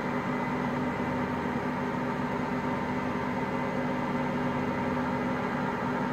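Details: Hotpoint Aqualtis washing machine, drum bearings just started failing today: a steady heavy rumble with a constant droning hum throughout the spin.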